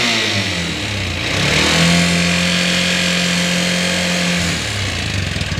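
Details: Bajaj Auto 205 engine, worked on three months ago: it revs up and holds with a busy, rattly clatter over the drone; abnormal engine noise, cause unclear.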